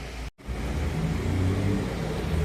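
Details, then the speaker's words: Fiat 1.4 Fire engine running after a screeching, bearing-like noise was cured by replacing the filter; steady even low rumble with no ticking or rattle, problem not returned; normal running. "Tá ali rodando, tranquilo. Até agora não voltou o problema, né?"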